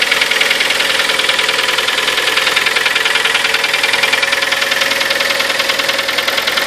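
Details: Kia Sportage, 4.5 years old, 43,000 km, on Shell Helix Ultra 5W40: sharp, light, very regular ticking at about 150 per minute over a steady idle; engine knock of unknown cause.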